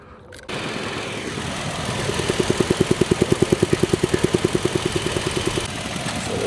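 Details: 2012 Toyota Tacoma just after purge valve replacement for P0456 EVAP leak: smooth even idle with light regular tick about two and a half per second; runs healthy, normal idle.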